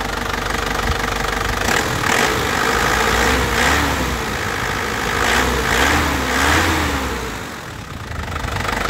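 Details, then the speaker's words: 2010 Isuzu Panther LS Turbo diesel, original condition: even diesel clatter at a calm, steady idle with no misses or surging. The engine sounds quiet and stable, suggesting a healthy injection pump and injectors; normal diesel idle. "tuh ya dari suaranya itu kelihatan suaranya masih masih pulen ya masih pulen renyah KH penter gitu jadi kayak mobil baru suaranya seperti ini Lur renyah dan pulen ya masih utuh Enak"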